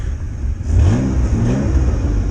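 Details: 1993 Ford Ranger 3.0 Vulcan V6 after rebuild for blown head gasket, timing set by ear, compression uneven: short clean rev from idle, smooth with no popping or misfire, slightly lazy; normal running.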